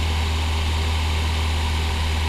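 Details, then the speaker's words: 2004 Acura RSX Type S after replacing seized, water-rusted radiator fan, engine at operating temperature: steady, even whoosh and low hum, no rattle or scrape, then stops automatically; electric fan working normally. "the uh the fan is running now so yep now it's stopped because it's um you know it's it's it's electric it should be automatic"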